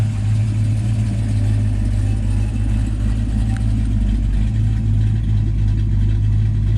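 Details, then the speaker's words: 1984 Mustang GT350 302 V8, carbureted, after new PCV-to-catch-can-to-intake-manifold setup replacing a gunked-up one: deep, even burble, steady low rumble, no misfires or hunting; running smoothly. "So yeah, that's one happy motor and one happy fox."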